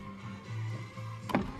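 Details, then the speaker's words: 1998 Honda Prelude (5th gen) right-hand door after installing a new window regulator, first electric windows in 2 years: short steady motor hum as glass travels, no grinding, clicking or binding; normal power window operation. "I can't believe it, guys. After 2 years, I finally have electric windows."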